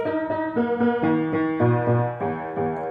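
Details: 1924 Bord 160cm grand piano before restoration: chords ring with sour beating across the range, badly out of tune from loose tuning pins, though the underlying tone is lush to the bass; hammers are in good condition.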